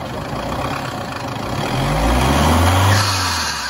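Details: Car with AC on during hot weather, engine running: rough whirring rumble swelling with revs, suspected from the AC compressor clutch; the full clutch set was replaced by the owner.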